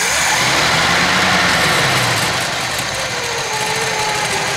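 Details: 1966 Chevy Biscayne 396 big-block V8 idling after heat riser repair: steady, even idle with constant exhaust hiss, no misses, knocks or flutter; normal idle.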